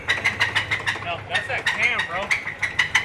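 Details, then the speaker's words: Hemi Ram truck at idle. Sharp, regular clacking about three times a second, seemingly from one bank; suspected cam starved of oil because the oil passages were not cleared when the cam was pulled. It quietens somewhat as it runs. "that cam heating up. Yeah. I bet you there's no oil getting into that freaking, because when they pulled the cam, they didn't clear out the oil passages."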